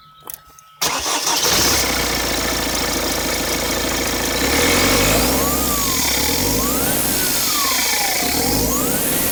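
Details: 1.6 HDi 110 diesel: engine cranks and catches, then a steady idle with a thin high whine rising and falling as revs change; suspected turbo whine, cause unclear.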